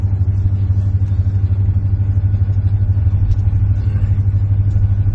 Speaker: She's running pretty good. Got oil pressure, it's got temp.